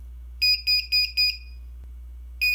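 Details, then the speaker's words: Uni-Byte 6-digit clock/timer kit on Atmel microcontroller; groups of four sharp high beeps about four a second, short pause, repeating; alarm keeps sounding indefinitely and pressing the button two seconds fails to silence it. "it seems to just keep going on beeping is there a way to stop it from beeping"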